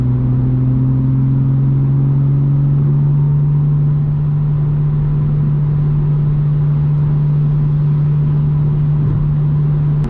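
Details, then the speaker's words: BMW M2 with M-Performance exhaust cruising on the freeway at 3,000 rpm, before fitting silencer inserts: loud steady low boom at one pitch resonating into the cabin; exhaust drone. "So you can hear that the drone is pretty annoying. It just sounds like a loud going and going and going."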